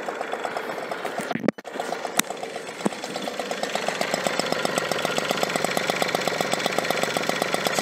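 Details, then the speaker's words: 1985 Enfield mofa two-stroke moped, well maintained, little smoke, just pedal-started on choke: fast even ticking two-stroke beat settling to smooth steady idle; healthy. "Two strokes, so there we can see a little bit smoke, but we can see that it's well maintained, so that's why there's not much smoke."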